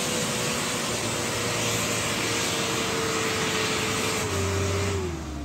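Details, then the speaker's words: Mitsubishi L300 loaded with vegetables, climbing a hill on the trans-Sumatra route: engine labours under heavy road noise, then its note suddenly drops and the low drone changes. Sudden sound change under load, cause unknown; the vehicle was then chocked with stones. "Teman-teman, ini tadi kita aneh dia teman-teman, tiba-tiba berubah suaranya."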